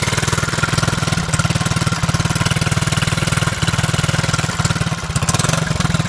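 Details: Honda Z50 single-cylinder idling with choke half down: sharp, choppy putt with a raspy puffing edge on each beat from an exhaust leak whose location is still being sought.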